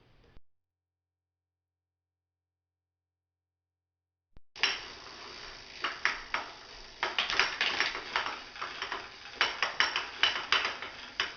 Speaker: Once the bushings are removed off the trainer, if there's no resistance on the trainer, you can hear the clanking sound, and the bushings are actually resolving that clanking sound and keeping the 3 pins from banging on the holes that the pins go into.